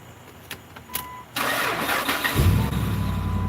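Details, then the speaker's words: Truck long at the dealership, check engine light cleared repeatedly but a fault still shows on the scanner: a few clicks, then the engine catches into an uneven, lumpy idle; sounds terrible, cause not confirmed. "She works, but she sounds terrible. Sounds terrible. Super super super terrible."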